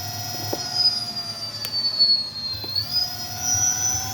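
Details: Electric bike hub motor on a Votol controller (EM 100 update), at the medium speed setting: a clean high-pitched whine climbs and eases with speed, no grinding or clicking. Motor sounds healthy with this controller.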